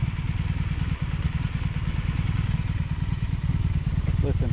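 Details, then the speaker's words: 2002 Honda Magna VF750C V4 during a rebuild, warm idle with an ongoing ignition issue: uneven, stumbling low beat at about three pulses a second; owner thinks one side runs okay while the other bank misfires. "versus I think this side is working okay but I got a mess over here"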